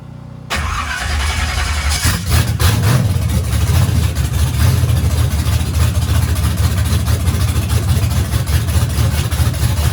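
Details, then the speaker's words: Turbo engine on its first fire-up after teardown, after the fuel seemed to lose prime: silence, then it catches into a loud, deep, lumpy steady run with no knocks. Normal running. "So it seems to crank up, fire in the hole. We're good to go."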